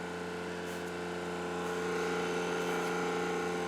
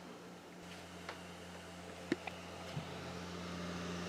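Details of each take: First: Xbox Series X bought used, disc drive with cushion present: steady loud whir with firm mid-pitched hum through the spin; still far too loud, owner wonders if rubber is missing. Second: Owner's own Xbox Series X as reference, same disc loaded: quiet, steady low hum with soft whir and light ticks, disc spinning smoothly; normal drive, owner thinks it slightly quieter than the repaired console.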